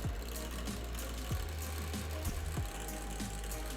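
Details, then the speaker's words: GTX 960 graphics card fan in a PC, auto fan speed off: irregular ticking about once a second over a steady whir as the blades catch something; clicking GPU fan, suspected broken inside, later replaced from a donor GPU. "do you guys hear that you hear that you hear that that's our issue the fan click"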